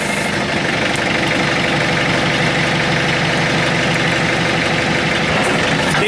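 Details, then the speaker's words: Diesel machine idling steadily with an even rumble. An earlier noise from a hydraulic cylinder is gone, possibly because a dry seal soaked in. Seal kits have been ordered anyway. Running normally. "must have just been that cylinder must have just had a dry seal and I thought stuff finally soaked in maybe so a little strange"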